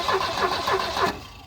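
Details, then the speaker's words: Volvo 745 Turbo that had sat abandoned: starter cranks about three compressions a second with no firing; coil has 11.9 V but no spark, so a bad coil is suspected, not confirmed. "I think the coil is bad to be honest why well we got voltage to it and we're not getting spark"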